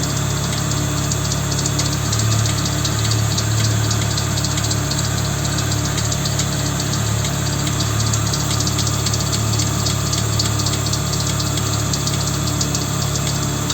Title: стук в двигателе Вольво 850